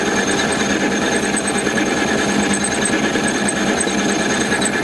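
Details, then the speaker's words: Mini lathe taking a 0.25 cut (down from 0.5) on out-of-round stock for a tailstock camlock: constant cutting rasp with uneven chatter. The tool is still hitting the uncleaned diameter, though the cut is becoming more consistent. "I can still hear that sort of gudder, that noise, but it's becoming more consistent, the cut around the diameter."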